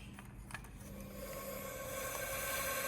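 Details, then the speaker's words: Bench test of a Chinese wastegate under rising applied air pressure: faint hiss builds as air leaks through the valve stem before it opens, still not open at about 20; leaking wastegate. "As you can tell, you can hear it start leaking. Nothing much yet, and then it starts to open."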